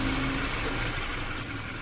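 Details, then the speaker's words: Subaru, 68,000 km, idling with A/C on after repair of leaking evaporator, compressor removed, oil flushed and refilled, O-rings replaced, recharged to spec: steady even hum, compressor smooth and quiet, no rattle or grind. "เสียงคอมแอร์ก็เงียบลงนะคะหลังจากที่เราถอดคอมแอร์ออกมาถ่ายน้ำมันคอมและได้เติมน้ำมันคอมใหม่เข้าไปชดเชยนะคะ"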